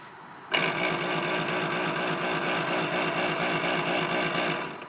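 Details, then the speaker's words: Volvo with about 300,000 km, ABS light on and off with code ABS-0070 (ABS pump motor faulty signal), actuation test via diagnostic scanner: sharp start then steady high whir for about four seconds; pump motor runs, owner suspects the ABS module instead. "Och det gör vi ju faktiskt. Vi hör ju ljudet där."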